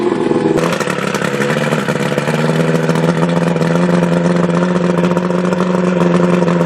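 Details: Two-stroke outboard with carburetor problems, treated with Seafoam in a fuel mix run slightly rich and smoky, revved in gear. A buzzy, slightly uneven firing with some clatter; it runs but not quite smooth yet, with an overhaul planned for winter.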